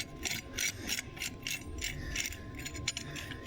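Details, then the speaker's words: Caterpillar D333 engine turbo on 977H loader, shaft turned by hand: uneven scratchy ticks and scrapes as turbine wheel rubs housing, with a chunk broken out and housing cracked. "rubbing on the back side of the still hitting it that's the sound we were hearing right there"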